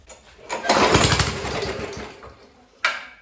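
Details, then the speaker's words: Discarded Rover four-stroke lawnmower, primed three times with the throttle set by hand because the cable is broken. One pull gives about a second of ragged firing that dies away, so it starts then stalls. Muffler found blown. "well she at least wants to run so I I don't know let's give it another Prime and see if she'll go"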